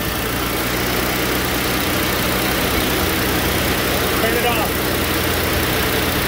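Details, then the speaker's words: First-gen Ford Edge with newly replaced electric cooling fan assembly (overheated when parked, A/C warm at idle), fans running: steady even rushing air, no ticking or scraping; fans spin freely. "you can hear them now see them hear the fans going yeah that's the fans"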